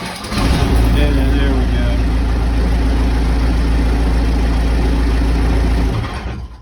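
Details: Case 580 Super L backhoe diesel that ran out of fuel, after manual priming: cranks briefly, catches, and settles into a steady, even low rumble until shutdown; healthy start and idle.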